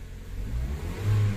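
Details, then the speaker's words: 2010 Mazda CX-5 with shorted wiring, dash indicators stuck on and a bad fuse found: from a raised idle the engine revs cleanly to a quick blip and settles back smoothly. Rev response is normal, but the idle stays high. "Nare-revolusyon naman siya ng maayos, oh. Oh. Pero ang taas ng minor."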